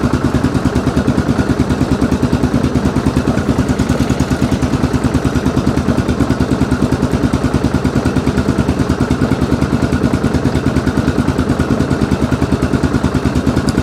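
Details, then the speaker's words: 2002 Yamaha Grizzly 660 single-cylinder ATV, first run after sitting 8 years, with idle turned up slightly: firm, regular thump with no misses or rattles; normal, healthy idle before a charging-voltage check. "there we go that sounds really really good this like i said this thing hasn't ran in eight years"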